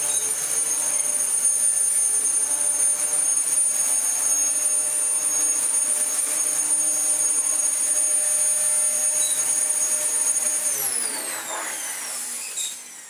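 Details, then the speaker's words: Dyson DC14 Telescope Reach upright vacuum after its noisy non-clutched aftermarket brushroll was replaced with a good used one. A steady, high motor whine at even pitch with no rattles or surging, then a smooth spin-down; running well. "And yeah, we have ourselves a very nice working Dyson DC14 now."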